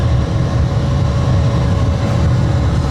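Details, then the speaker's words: 2013 Dodge Dart blower motor, previously intermittent then dead, after the plug was refitted, engine running, AC on: steady low whoosh and hum from the dash, no squeal or ticking; blower working normally. "It's on, and it's working. Hear it? Yay!"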